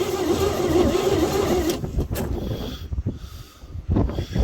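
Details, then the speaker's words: 1949 Chevy truck, cold start attempt after 24 years sitting; under two seconds of uneven starter grinding, dies without catching; mechanical fuel pump not drawing fuel, owner may need electric pump; crank no start. "That's curious. Fuel pump still hasn't even tried."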